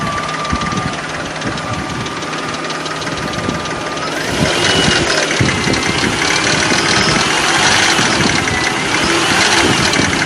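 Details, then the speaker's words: 2004 Nissan Frontier, Nissan VG33E 3.3L V6 gasoline engine, about 183,117 miles, warm idle: fast fairly even tick about four per second over the engine, valvetrain rattle suspected hydraulic lifter; timing belt tensioner bearing still to be checked. "this is what we're gonna hear and that will give us a sign that it's most likely a hydraulic lifter"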